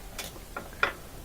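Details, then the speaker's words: Kenmore top-loader washer that would not spin, lid switch case cracked and repaired with zip ties: a couple of light, crisp clicks in a quiet room; the lid switch now actuates normally after the repair. "yeah so now we can hear it click we reinstall this it should work"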